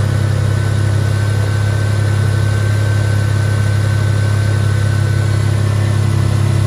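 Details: Toyota Tacoma at idle after replacing a seized fan clutch and tightening the belt: steady, low, even hum with no belt squeak or knock. Engine running healthy.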